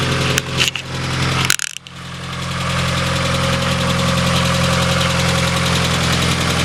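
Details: Mazda Miata engine settling to idle after handling noise, with a rough irregular tapping knock from the bottom end; suspected rod knock, with a hint of low oil ("check your oil"), not confirmed.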